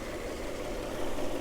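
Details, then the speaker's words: Peugeot 406 Coupe, later 210 bhp V6, newly arrived project car with weak battery, bonnet open, hot day: smooth even idle with steady low hum, no knocks, misses or ticks; ticking over very nicely. "so as you can see it's the later 210 Brak horsepower engine ticking over very nicely"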